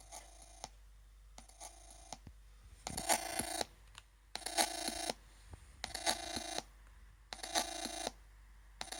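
Repeating phone-like chirps, short and longer bursts about every second and a half, over near silence; electronic noise of unknown cause.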